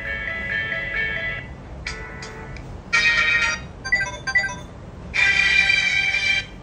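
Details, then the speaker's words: Samsung A10s after repair: ringtone plays clearly from the loudspeaker, no hiss or crackle; raspy audio was caused by a non-original charging board, fixed by replacing it. "aí ó acabou o problema do áudio resolvido tá gente"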